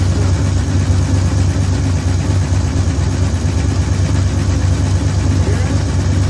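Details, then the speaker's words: 1973 Ford F100 V8 after a tune-up: new plugs, coil, points, condenser, rotor, cap, fuel filter, rewire and ground cable. Deep, even burble at steady idle with no misses, ticks or knocks. Normal idle. ">> That that sounds pretty good. >> Yeah. >> We just finished up. We got it running good."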